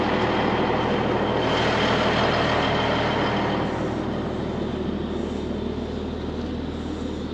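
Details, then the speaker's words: Cabover truck restarted after sitting two months in cold, trailer also sat two months: diesel idles with even steady beat under a soft airy hiss as air fills the suspension; normal inflation. "I hear the suspension coming up. Yeah, she's starting her up."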